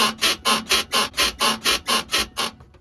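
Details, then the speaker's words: 2003 Ford Mustang Cobra (Terminator) while driving: about two sharp rubbery squeaks a second, suspected from the control arm bushings. White lithium grease on the bushings quieted it a lot, but a hint of squeak remains. "We sprayed some white lithium grease up in all of the bushings and tried to eliminate that noise. It did quiet it down quite a bit, but there's still a hint of that sound there."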